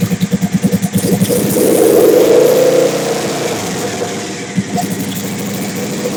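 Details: Big-turbo Suzuki TL1000R V-twin with 560cc injectors and Power Commander, after idle tuning: lumpy even idle, a quick blip that rises and falls cleanly, then back to steady idle; owner happy with it, normal idle.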